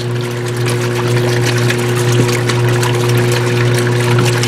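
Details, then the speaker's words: Whirlpool washer that stops after the first cycle (faulty timer/cycle knob), during water fill and first wash: steady rush of water over low hum, no grinding or knocking; normal so far. "Ya está lavando el ciclo, ¿verdad? Todo está bien hasta ahorita."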